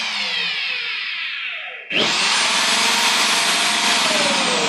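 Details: Electric drill that would not run, after fitting carbon brushes: motor spins up to high steady even whine, holds speed cleanly into wood, no catching or crackle; repaired, running normally.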